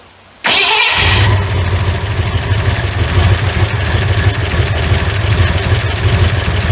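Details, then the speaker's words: 1981 Ford F100, revived after sitting 24 years and due for a rebuild: catches and settles into a rough low idle with a steady deep knock under the exhaust; worn bearing knock. "oh yeah she still knocks like I don't know what to man that sounds terrible"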